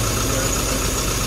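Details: CMC Riviera Run engine, warm, after regapping the spark plugs (number three cylinder previously not firing, idle had been lumpy): steady, even idle hum with no stumble; all cylinders firing smoothly.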